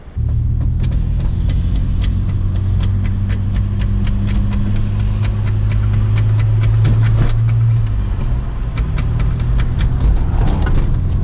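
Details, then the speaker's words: BMW E46 325xi touring, manual: steady engine drone with sharp clicks about three a second, quickening on throttle and tracking wheel speed; owner suspects the axle, CV boot replaced in February found torn again. "So as you can see, it's like when you're giving it gas, you can hear that clicking that goes with wheel speed."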